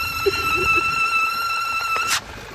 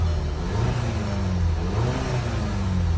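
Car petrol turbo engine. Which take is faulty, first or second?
first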